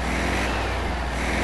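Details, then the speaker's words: Classic VW Beetle air-cooled engine after cleaning and partially restoring the carburetor, warmed up with the choke off, accelerating: steady full drone pulling strongly without stumble; the earlier hesitation on takeoff is gone. "Sounds good. Got rid of that hesitation on takeoff."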